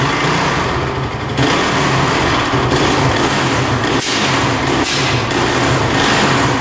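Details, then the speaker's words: 2007 Honda TRX450 quad, on choke: rough, uneven running with top-end chattering that sags and keeps shutting off, won't hold idle; carb seen leaking, owner suspects it is running rich and flooding out. "hmm yeah it keeps on shutting off something's going on"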